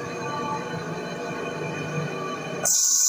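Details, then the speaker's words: Electrolux 10.5 kg washing machine in spin mode: a loud, steady roar with a hard whine, then a sharp high tone near the end; noise during both agitation and spin, worn bearing suspected (motor or mechanism). "Bom, pessoal, aqui a máquina já está em modo de centrifugação. Vocês percebem aqui que o barulho também está um barulho bem forte, né?"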